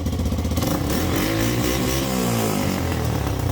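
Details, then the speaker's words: 1985 Yamaha YTM225DR Tri-Moto revived after 30 years, after carburettor work and idle adjustment: small single rattles along with an even beat and revs up cleanly, no miss or knock; sounds healthy. "I love that sound. Never gets old."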